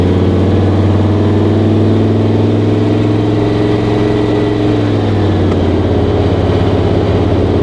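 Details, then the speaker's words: 1959 Rambler American, about 1000hp, on its first test drive. The engine drones at high steady revs and then sags without shifting; third and fourth gears are missing and it is limited to about 50–52 mph. Owner suspects the throttle cable is out of adjustment. "yeah third and fourth gear are just not there so I'm guessing that throttle cables out of adjustment"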